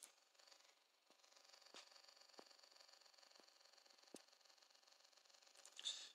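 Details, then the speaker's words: Brand-new FrSky Taranis radio transmitter, phone mic held by the speaker with a model loaded: faint steady high-pitched speaker buzz with handling clicks; the buzz lessens or stops when the antenna is moved. Louder in person than recorded. "i have a small issue with it when i turn it on you hear the speaker buzzing i'll try to demonstrate it"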